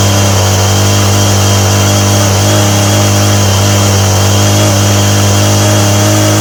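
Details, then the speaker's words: Homelite string trimmer with a new aftermarket Chinese carburetor. Loud, buzzy two-stroke drone stuck at one speed, never dropping to a slow idle; the idle screw doesn't even touch the throttle arm, so there is no idle adjustment. "There's no idle adjustment on this carburetor at all. You crank the screw in and it's not touching, it's not even touching the thing that pushes the throttle."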